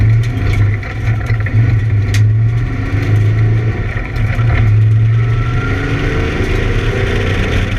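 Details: ABR Camaro on track, misfiring under load, cause unknown: deep engine drone keeps stumbling and breaking up unevenly with dropouts.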